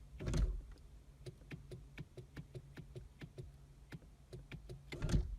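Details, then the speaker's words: 2006 Nissan Sentra power window: motor runs with quick even ticking about four per second but the glass doesn't move. Regulator suspected bad or off its tracks, not confirmed; motor/regulator kit to be fitted. "the motor going it's not free spinning alright I definitely think the motor is bad or the are not the motor I think the regulator is bad"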